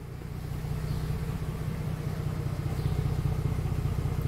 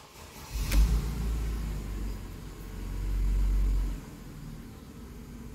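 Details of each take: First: Mercedes-Benz with codes P0300, P2090, P0353 and unstable engine, after repair: steady, even low idle with smooth regular pulse, no misses, knocks or ticks; engine running healthy. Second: Mercedes-Benz with codes P0300, P2090, P0353, unstable engine, at start-up: low uneven idle with irregular stumble and surging rumble; misfire suspected, not confirmed.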